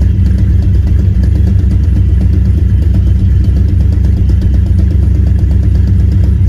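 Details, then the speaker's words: Supercharged (Vortech) 2-valve V8 on Holley Terminator X EFI, still untuned on a base tune, idling: deep loping rumble with faint puffing tick from a driver's-side header exhaust leak, letting in air so the header-mounted O2 sensor reads lean. "it does have an exhaust leak in the driver's side header and that is causing the the o2 sensor which is also installed on the driver's side header to get a lean reading"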